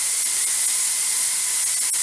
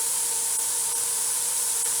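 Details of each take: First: Presto 23-quart pressure canner venting before the regulator goes on: steady, even hiss, no sputter or surging; needs a steady stream for 10 minutes; normal steam venting. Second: Presto 23-quart pressure canner, which has been acting up, gives a loud, constant steam hiss venting far too hard; the heat needs turning down to reach the steady 10-minute venting stream.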